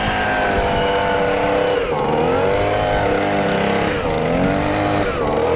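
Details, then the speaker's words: Stihl BG55 handheld leaf blower two-stroke after fitting an aftermarket carburetor, started on choke: high, buzzy drone that sags and recovers every second or two; incorrect idle speed setting, idle screw needs adjusting. "i have to adjust the idle a little bit i'm going to show you how to do that"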